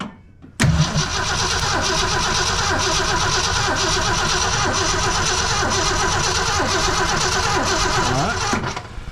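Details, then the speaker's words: 1966 Ford Fairlane 390 FE V8 cranked for compression test, carburetor off, in neutral; sluggish, slightly uneven starter beat for about eight seconds without firing; battery a little weak, cylinder reads just over 90 psi, somewhat down. "All right, the battery is a little weak, but as we assumed, the assumption was she only has about 90."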